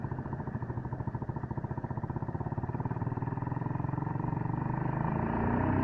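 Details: Suzuki Gixxer motorcycle: rhythmic low clatter about three to four beats a second, building as speed rises; noisy drive chain, owner seeking advice, cause not pinned down.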